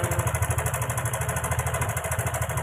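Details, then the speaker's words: Karisma motorcycle that is also leaking oil from the block gasket, at idle: rough running with a quick, even metallic chek-chek chatter on every beat; found to be a stretched cam chain with the tensioner at its limit. "saya ada motor Karisma nampak di suara mestinya sangat kasar sekali di sini ada suara cek cek cek cek cek cek cek cek cek cek cek"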